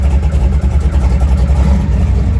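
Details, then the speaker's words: Chevy/GMC 8.1 V8 truck (1999-2007 Sierra/Silverado) idling after its coil ground wire was corrected to cure a crank-no-start: deep, steady rumble with an even beat and no misses or stumbles, a normal healthy idle. "And now when I go to fire it up, it fires up."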